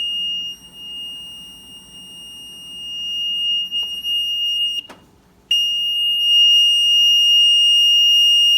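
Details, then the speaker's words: Maytag Neptune MAH5500BW front-load washer found discarded, cord cut and replaced: shrill unbroken high beep, cutting out at power-off and resuming at once on restart; constant error alarm, owner suspects bad control panel. "okay yeah this panel is definitely having some issues so beeping for because it's definitely having some errors"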